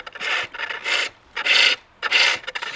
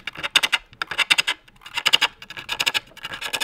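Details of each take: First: Pole lathe, cutting inside the bowl downhill toward the center: smooth, even rasping strokes without chatter, a sweet clean cut; the sound turns harder and scrapey as the angle changes to flat and uphill. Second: Pole lathe bowl turning, starting at the base of an axed blank: grouped bright scraping clicks with gaps, the tool only hitting high spots, not yet a full-rotation cut.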